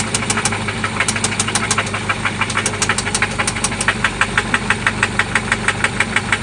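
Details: 1995 Toyota Celica ST after an oil change and new spark plugs: sharp, even ticking knock about three per second over a steady idle, loud from inside the engine, seemingly from one spot; cause not yet pinned down.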